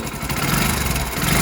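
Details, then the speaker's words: Hero Splendor BS6 motorcycle, 28,861 km, at idle: busy metallic chatter over an uneven single-cylinder idle from inside the engine; loose, worn timing chain rattling. "ये देखिए दोस्तों पूरा timing चैन घर घर ए रहा है ऐसा ग रहा है टाइमिंग चेंज का खराब हो गया है"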